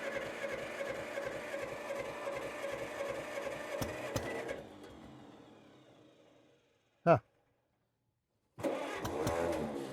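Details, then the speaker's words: Old Hercules Economy 7hp buzzsaw engine: chugs unevenly, fades and dies, then clicks and catches again. Hard starting; acts like flooding, but not enough choke suspected, unconfirmed. "This is interesting. Acts like it's flooding. Okay, that's not enough choke."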